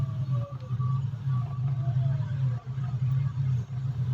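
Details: Mitsubishi Mirage G4 warm idle hum sags and recovers about every second, idle hunting with check engine light; fine when cold, worse when warm and with AC on; harness found damaged by vibration.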